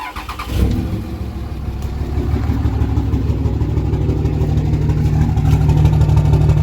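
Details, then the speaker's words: Diesel truck idling with an uneven, lopsided low throb about three beats a second after the number three injector, found stuck open and smoking, was unplugged in a kill test; engine running on five cylinders, smoke stopped. "I did the kill test it sucks running on 5 cylinders but like Jesus like there's nothing I can really do about it it still kept accelerating"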